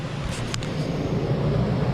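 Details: Ducted rooftop camper air conditioner that had stopped moving air, running normally: an even, steady low roar with a smooth airy rush, no rattles or cycling.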